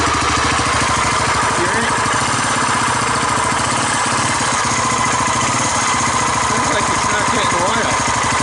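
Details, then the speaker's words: 1985 Honda ATC250SX with Astro four-wheel conversion, first cold start after spark and compression checks: loud idle with rapid steady firing and a coarse clattering rumble from the head; owner suspects no oil reaching the top end. "Not only started, but it's idling. It's making bad sounds. Making bad sounds up in the head."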